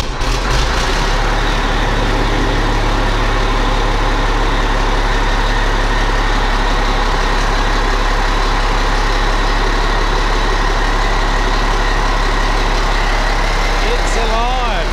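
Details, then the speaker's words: Dump truck diesel first started after repairs, batteries possibly flat; it settles into a steady, even idle with a deep throb and no bottom-end knock; normal running. "well sounds like the dump truck might be kicked into life soon let's see if she fires up"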